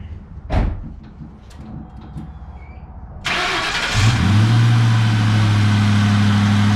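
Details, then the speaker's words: 2004 Mustang Mach 1 with 60,000 miles, first start after refitting air intake and mass airflow sensor: brief crank, clean catch, then steady even idle with no misses or knocks; engine runs normally. "all right i put a intake back on and it seems like to start perfectly"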